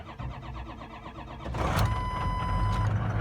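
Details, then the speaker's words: 2004 Ford F350 6.0 Powerstroke diesel cold start at 22–24 degrees after one glow plug cycle: short, even cranking, catches within two seconds and settles into a clean idle; healthy cold start. "And that's the 6.0 cold start. And the motor's 24 degrees."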